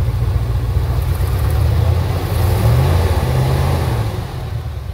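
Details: Chevy 350 truck engine weak on compression: uneven, lumpy stumble at low rpm that smooths out as revs rise and returns when it settles back; low compression suspected as the cause.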